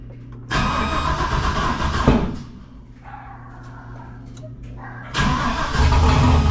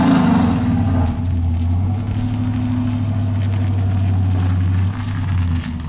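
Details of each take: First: Junkyard 6.0 V8 freshly swapped in to replace a burned-up 5.3, first start on the tune made for the 5.3: catches, runs lumpy and uneven, dies, refires rough; smells super rich of fuel, tune way wrong, needs retuning. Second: Junkyard 6.0 V8 replacing a burned-up 5.3, bearings checked, after 6.0 tune: deep, even steady drone, no knocks, misses or ticks; healthy, owner notes an intermittent lifter tick to be fixed with new lifters.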